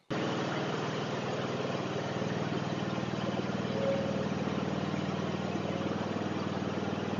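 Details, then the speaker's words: Zero-turn riding mower after the blade spindles were replaced and sharpened blades fitted: a steady, even engine drone with a smooth low throb and no knocks, scrapes or blade wobble. Normal running. "Well, that sounds good."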